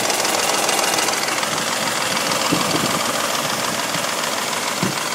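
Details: 1985 Mercedes 500 SEC W126, M117.963 V8 on petrol (LPG-equipped, same sound), passenger side: idle with light quick ticking rattle over hissy steady engine noise; owner suspects hydraulic lifters, replacing two on cylinder 1 barely helped.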